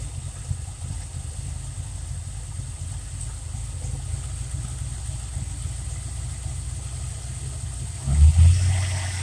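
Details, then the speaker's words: Fox Body V8 idle being raised slightly by hand: a steady, even idle, then a brief lift in revs as the throttle is cracked. The idle sits high; the owner suspects part-throttle mode with the idle air valve purposely open, possibly after throttle binding. "how I guess the part throttle mode idle kicks way up because the i-x being purposely open"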